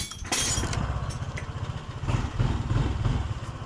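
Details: Honda PCX 150 keyless scooter, previously unable to start because of a faulty 5-pin charging/starter relay, now repaired. With ignition on and the brake lever pulled, the button gives a short crank, then the engine catches and settles into a quick, steady putter: clean start.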